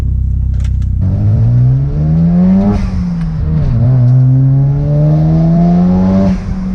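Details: Mazda RX-7 FD rotary after plugging a disconnected sensor back in: revs climb and fall cleanly with an even buzzy note, no misfire or stumble; running properly, far better than before.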